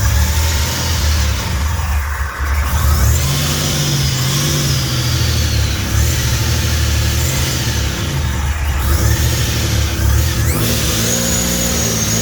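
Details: Fully built 3800 V6 race engine on its first start after the build: strong, steady low note rising and falling with throttle blips, no knocks or rattles, no smoke or leaks; normal revving.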